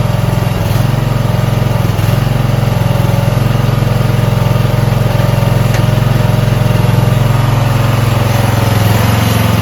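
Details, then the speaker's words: Toro Wheel Horse 1438HXL lawn tractor after repower, started with choke on a new battery (tests 274 CCA, rated 160; stator charges about 15 V): steady, even low putter at idle with no knocks, misses or surging; normal idle. "So let's see if it starts up. We're going to choke it. New battery."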